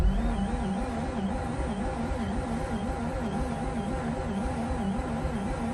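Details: Mazda RX8 after replacing 2-year-old fuel with 93 octane premium: starter spins steadily with even pulsing about twice a second but engine never catches; crank, no start.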